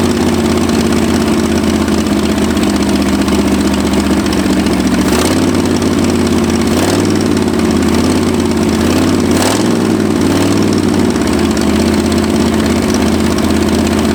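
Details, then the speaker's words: Abandoned Ford F-250, first start in 26 years, after new spark plugs; steady but lumpy idle with uneven beat and occasional hesitations, ignition timing still way off and carburettor not set; rough running from retarded ignition timing and maladjusted carburettor. "now the timing is still way off and the carburetors nowhere near being set properly but should be better let's find out"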